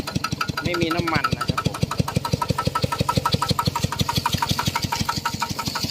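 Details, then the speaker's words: Piston pump crankshaft running smoothly after adding about 1 litre of lubricating oil; the loud knocking was caused by no lubricant and rust. Even steady thump about twice a second. "ใช้ได้แล้วครับผมเมื่อเช้านี่มันดังแรงมากเลยเพราะว่ามันไม่มีน้ำมันหล่อลื่นนะเนี่ยสบายแล้ว"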